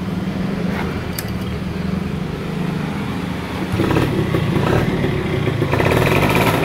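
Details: Yamaha F1ZR two-stroke, stock engine and original ignition, after replacing the old worn-out carburetor (cylinder head unchanged); revs up in clean steps and holds steady, crisp and even with no stumbling or bogging; normal revving after repair.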